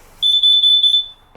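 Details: Smoke/CO alarm during a gas boiler heating repair, with stove burners used for heat and doors open; meter showed zero carbon monoxide: one shrill high beep under a second, then quiet; cause unclear.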